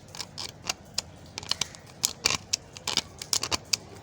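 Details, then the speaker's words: Worn left handlebar switch assembly on a 2019 Suzuki GS 150, giving sharp, uneven, dry, loose and gritty clicks and snaps as it is worked; the genuine switch is worn out. "What the hell is this, बिल्कुल फ़ारग हो गई हैं, ठीक है।"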